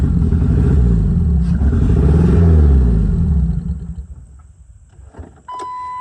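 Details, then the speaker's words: Cheap Jeep Wrangler after a starter replacement, catalytic converter cut off giving raw exhaust: revs climb then sag unevenly, engine hesitates badly and idles only sometimes; owner suspects throttle position sensor (catalytic converter theory ruled out). "Hold on, you old pile. Come on. Hear how it's hesitating really bad."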